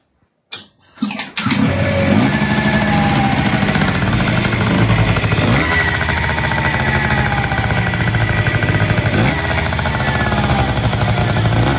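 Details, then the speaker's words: Yamaha Jog RR two-stroke scooter, brought in for a noise, started with the ignition cover refitted: catches after a few pulls and runs with an even buzz, no rattle or knocking, and the noise is said to be gone. "ahora mismo antes de nada la vamos a arrancar para que veáis que el ruido se ha oprimido fácilmente"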